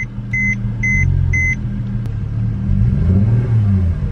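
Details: Mercedes-Benz C300 W204 with a misfire after a spark plug change: uneven, choppy rumble with a faint rattle over four quick warning chimes; check engine light flashing, car feels slow and won't rev out.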